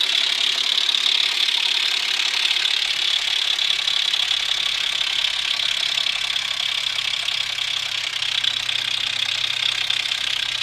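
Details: Infiniti FX35 VQ35 at idle with a fast, sharp metallic rattle; the timing chain tensioner had backed out because of too-short bolts, breaking the shoe and guide, which were replaced along with the chain.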